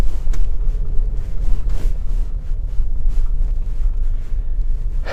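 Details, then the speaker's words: Mercedes-Benz GLE 250 after front and rear suspension overhaul (new bush kit, new front shock absorbers, original arms), driven over rough road and large speed bumps: low steady road rumble, no clunks, knocks or rattles; suspension quiet. "ये कुछ ख़राब सी road, no extra noise. यहाँ speed breakers हैं, उसके ऊपर काफ़ी ज़्यादा बड़े स्पीड ब्रेकर्स हैं ये।"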